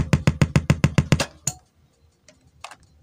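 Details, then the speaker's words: Sharp CD BK-1600 mini compo after panel-error repair, test speakers connected: steady dududu speaker thumping about seven pulses a second, then stops; amplifier motorboating, fault persisting after panel fix. "Hai Kenapa ada suara Dudut ternyata suara duduknya enggak hilang kita akan melanjutkan kerjanya temen-temen"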